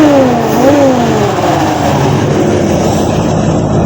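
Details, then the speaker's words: 1953 Ford Customline with swapped 350 V8, after new intake gasket and a small carburetor adjustment: blips up and drops back cleanly to a steady, even idle with no misfire or rattle; sounds healthy. "Sounds really good. [Music] Oh yeah, that little tiny bit of a carburetor adjustment really helps."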